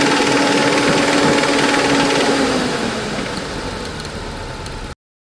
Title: ford ranger 2.3 motor argentino ruido en el motor